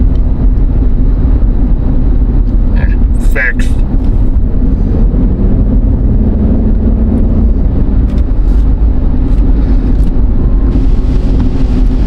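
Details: Jeep Liberty 3.7, final test drive after securing a loose rear wheel that caused loud knocking when coasting: steady road and engine rumble at cruising speed with no knock or clunk; everything sounds normal.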